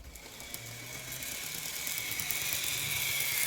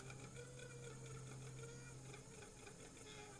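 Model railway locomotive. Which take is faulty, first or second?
first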